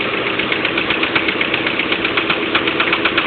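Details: 1990 Honda Accord LX idling with new standard bearings; the noise is getting louder. A steady sharp knock about four per second, tested with a spark plug removed and then refitted. Owner suspects rod knock or wrist pin, possibly a skipped belt tooth.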